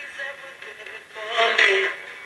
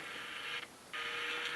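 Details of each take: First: Mid-1960s General Electric transistor radio after restoration, including a resoldered antenna lug: music and voice play clean through the small speaker with no crackle, hum or dropouts. Working normally. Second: Mid-1960s GE transistor radio, continuity from phone jack to speaker but speaker not firing: radio hiss and sound suddenly drop out then return, flaky connections cutting the speaker; bad wire later replaced and joints resoldered; intermittent speaker output.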